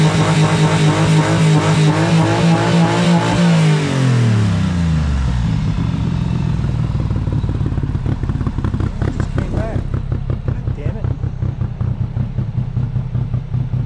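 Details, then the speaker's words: 1995 Honda Acty, jump-started, kept mostly parked: revs fall to an uneven, lumpy idle with stumbling beats, misfiring; white smoke, fuel pouring from air filter and charcoal canister, carburetor float suspected, owner fears coolant from a cracked head, cause unknown. "It sounds like it's misfiring and all sorts of other [ __ ]"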